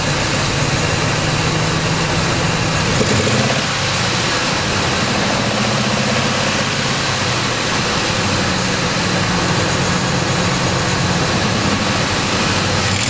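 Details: Ford Triton 5.4 V8 with suspected 100k miles of neglected oil changes, sludge flushed, metal shavings found in the pan, running 10W-40: idle with slight speed swings and a dull irregular knock, worse when revved. Internal knock of unknown origin.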